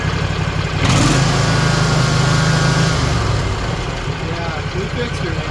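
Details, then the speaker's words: Rebuilt Kawasaki FR730V V-twin on a Cub Cadet Z-Force SX60 mower, being repaired after severe power loss while mowing, air filter on backwards: strong even throb picks up speed and holds, both cylinders firing cleanly, already faster. "And let's see what it sounds like on two cylinders. It's already faster."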